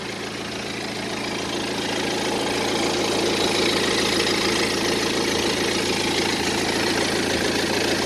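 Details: Diesel idle clatter on a 2010 BMW 118d E87 with N47 engine at 178,000 km: busy, fast clatter and faint rattle. Owner tore down the timing drive to replace all chains and sprockets, but the timing chain was fine, so the noise remains unexplained.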